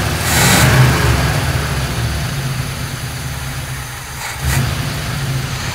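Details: 1957 GMC 100 truck's old petrol engine, first run after sitting many years and previously cranking slowly, runs and revs roughly with a low uneven rumble and no knocking; owner feared it had seized from oil starvation.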